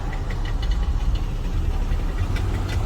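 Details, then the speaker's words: Chrysler minivan at idle: irregular light knocks a few per second over a low rumbly idle, with a crunchy noise; suspected flywheel (drive plate) knock, not confirmed. "this that is a flywheel poor guy come on down to Brothers Motors we can take care of that for him"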